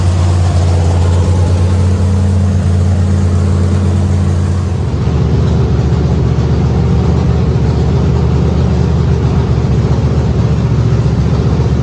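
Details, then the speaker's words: Factory Stock dirt race car V8 after the flywheel was replaced with the correct one; it shook badly before. Deep, even burble holding steady without shake or knocks, with a slight blip. Normal running. "Heat. Well, I call that a success, folks. [laughter] Sounds good, too."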